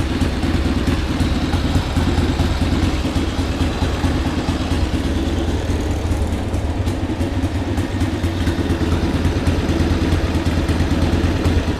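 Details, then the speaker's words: 1979 Harley-Davidson Ironhead Sportster XL 1000, running for the first time in at least 25 years: loose, lumpy V-twin beat at about three a second, holding steady with no misfires or stalling. Healthy idle. "yeah it's idly great I mean that's awesome"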